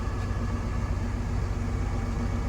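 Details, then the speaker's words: Twin FPT NEF 450 marine diesels in an Ocean Alexander 46 engine room, gearboxes in neutral in warm-up mode, idling about 900 rpm: deep, steady low rumble with no knocks or misses; normal smooth idle. "without the gears engaging you can hear them there just nicely sitting at around about 900 rpm"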